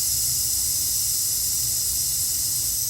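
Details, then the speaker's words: In a boost leak test on a BMW N54 with a single-turbo setup, with the engine off and soapy water sprayed on, the pressurised intake gives a steady high-pitched hiss escaping at coupler connections, some leaking worse than others. "See how bad it leaks at the connections there. That one, I guess, doesn't leak as bad."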